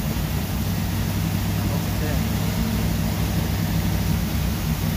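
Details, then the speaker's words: 1977 Chevy Camaro small-block with a newly installed Edelbrock Pro-Flo 4 EFI, first start with timing locked at 12°. A steady, smooth V8 idle sitting a bit high while cold; rpm should settle once coolant reaches 160, with idle targeted at about 750. "is a little bit high but that's because it is cold once the sense their coolant jump gets up to 160 rpm should adjust solid"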